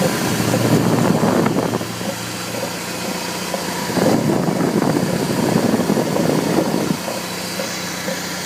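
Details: 1998 BMW E46 318i (AL19, M43 B19 engine) idling with a dull repeating thud about four per second; suspected near the pulleys, but replacing the belt tensioner and tension roller did not cure it.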